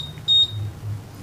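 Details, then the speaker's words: Honda PCX 150 alarm tone setup with alarm on (green), cycling low/medium/high tones: single clear high-pitched beep about a fifth of a second in a quiet room, previewing the selected tone. "Hai ini nada rendah sedang nada tinggi sedang paling rendah suaranya Oke kita akan pilih ya suara tinggi saja"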